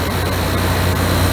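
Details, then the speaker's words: GE AEL14AVL2 window air conditioner on a warm day, outside fan already running: heavy steady low drone settles in as compressor kicks on to cool the house; normal compressor operation. "So as you can hear, the compressor has just started. That means the compressor is pumping the cool air in the house."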